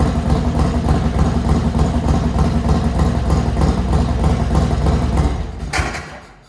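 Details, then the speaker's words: Harley-Davidson Dyna just fitted with a Vance & Hines Pro Pipe: fast light ticking over the loping V-twin idle at startup, lifter noise; pushrods to check or lifters to replace if they bleed down overnight. "A little bit of lifter noise when we start it up. We'll have to check push rods maybe, or change out these lifters if they're bleeding down overnight."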